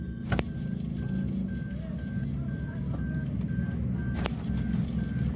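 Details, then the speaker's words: 2022 Suzuki Alto idling: light repeating chirpy tone over low engine rumble from the alternator; worn alternator bearing, belt removed to check. "इसके alternator में से आवाज आ रही है"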